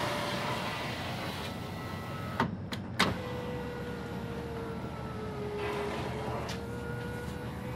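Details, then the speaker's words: 2017 Mitsubishi Outlander front passenger door after a shattered window, new glass installed: window motor hums with sharp clinks and rattles as the glass travels; loose broken glass debris in the door. "all right this almost sounds like there's glass in there doesn't it"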